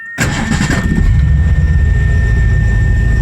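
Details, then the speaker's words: 1984 Mazda RX-7 swapped with Ford 302 V8, C4 automatic, timing set 10 degrees, idle mix rough-set: brief crank, catches at once, steady deep idle; starts right up, decent oil pressure, bearings somewhat worn. "Starts right up pretty good. Now we got some decent oil pressure."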